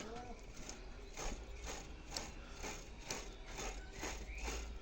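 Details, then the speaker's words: Old bicycle rear wheel freewheel spun by hand after cleaning and penetrating oil: crisp, even ratchet clicks about two a second, indicating clean, properly working pawls. "Si vous entendez le clic-clic dès que vous avez fini de nettoyer la disquette, si vous faites ça sur votre pignon, vous entendez clic, clic, clic, clic, clic, clic, comme je vous ai fait sur la vidéo,"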